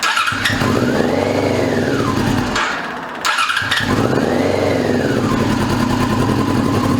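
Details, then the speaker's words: 2002 Yamaha YZF R6 after 6 years sitting, first start on fresh gas from an electric fuel pump: fires, revs swell and sag unevenly twice with a brief drop, never a steady idle. Fuel leak traced to an untightened carb drain screw, not the suspected float. "Rushed it. Got a fuel leak. Now I cut it off. I think we got a float sticking."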